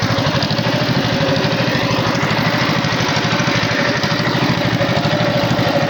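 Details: Tow-behind flail mower's Wisconsin TJD 20 hp inline two-cylinder engine, battery iffy, test-cut grass fine: steady, even putter at constant pace, no misses or knocks; runs properly.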